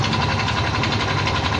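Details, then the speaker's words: Yamaha Mio i 125 scooter at idle: busy engine beat with a steady, quick metallic knock, found to be rod play and a worn crank bearing rather than the tensioner or magneto. "papansin niyo yung tunog Ayon maiingay yung makina"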